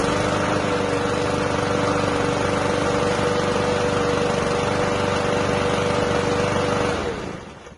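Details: PowerSmart mower small single-cylinder engine after repair with new primer line, running off cover: steady, even run at constant speed for seven seconds, then clean shutdown; normal running.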